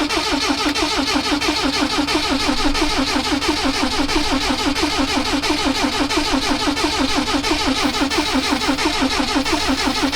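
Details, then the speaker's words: 1979 Lotus Esprit: steady starter cranking at about ninety pulses a minute, and it never fires. Spark is doubted at first, but later there is plenty of spark, so fuel is suspected not to be arriving. "yeah i mean i agree it doesn't sound like a spark but like sure all right go ahead give a little prank"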